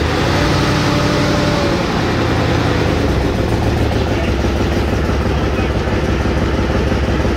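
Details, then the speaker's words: Trailblazer 5.3L after DOD/AFM delete, idle after partial (about halfway around) weld repair of cut pipe near manifold: loud raspy puffing tick on each firing pulse; pipe exhaust leak improved but still present. "All right, so this is round 2 after some spray and pray welding. I maybe got halfway around that pipe. So it's better, but it still ain't great."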